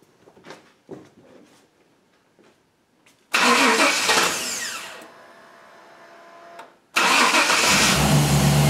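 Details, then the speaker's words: 1998 Chevy 5.7 V8 after new fuel pump for cold-weather no-start and long crank: burst of cranking, pause, then catches and settles into a steady low rumble. Fuel pressure now holds; tested in shop at about 50°F. "all right well it's confirmed fixed as far as the fuel pump goes we're not losing pressure anymore"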